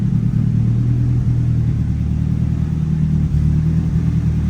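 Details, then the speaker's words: Nissan 180SX Type X engine at a steady, even low idle with a smooth unbroken drone and no knocks, ticks or misses, sounding healthy after the oil filter housing was changed because the oil filter kept blowing off; normal idle. "so it definitely sounds good guys"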